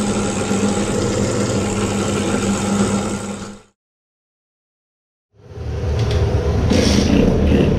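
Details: Modified 20 hp two-stroke moped engine with a low-power problem, carburetor suspected: held at full throttle it screams at a thin, hollow, steady pitch, drops out, then revs back hard; running lean at full throttle.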